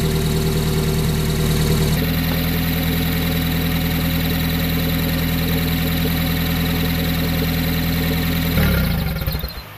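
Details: 1994 Honda Prelude with an F20B engine, after replacing the IAC valve to cure an idle going up and down: idle drops after two seconds and holds a smooth, even tone with no hunting before shutting off; normal idle.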